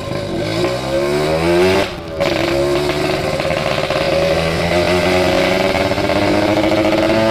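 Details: Yamaha RX King two-stroke, oversize 0 overbore, main jet 160, reed membrane and carb set: a crisp buzz that climbs and falls with the throttle, pulling cleanly, no misfire or rattle; healthy.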